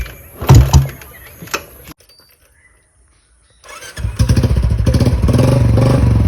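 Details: Motorcycle after draining water from the carburettor through the bottom drain with fuel on; after a short pause it kick-starts and settles into a steady beat, revving evenly without stumbling or missing; normal start and revving after fix.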